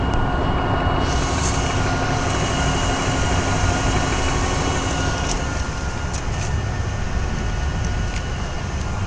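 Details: BMW 323Ci, 22X,XXX+ miles, drives like new: whine when revving, at idle and in normal driving; at idle it stops with the clutch pushed in. The transmission clanks when shifting and tapping the gas. Deep engine roar with a thin steady whine that fades partway.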